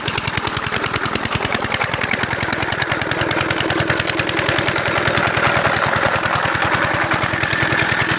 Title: 12 hp diesel engine Waterpump pump set machine hard starting l Pani wala engine l big diesel engine